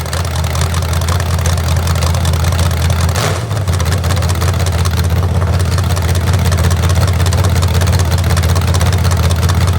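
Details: Rebuilt genuine 1970 Corvette LT1 V8, being built for a 1957 Chevrolet Nomad; deep even lope at steady idle with a brief blip, no ticking or knocking. Normal idle.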